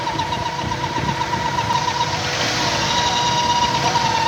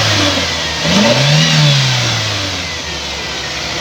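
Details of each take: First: 1998 Toyota Indus Corolla at idle: a constant thin whistling hiss over the engine; pressure builds in the crankcase, and removing the oil filler cap stops the sound, pointing to a broken PCV valve. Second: 1998 Toyota Indus Corolla engine revved after the tappet cover was opened during a noise check: climbs smoothly and settles back evenly with no knock or tapping; the earlier noise is gone. Normal revving.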